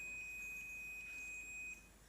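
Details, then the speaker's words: Plancha (clothes) iron thermostat checked with a continuity tester while turning the setting knob: a steady high beep holds for nearly two seconds, then cuts off cleanly, showing the thermostat contacts close and open properly. "उसकी मेरा मतलब है हम thermostat switch भी काम करता है। कर रहा है।"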